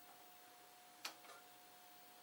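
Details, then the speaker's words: Old chart recorder, paper drive at 0.5 mm per second: a single crisp tick over a quiet steady hum; slow stepping paper drive working normally. "can you hear that ticking? That's on 0.5 millimeter per second that this paper is travelling this way."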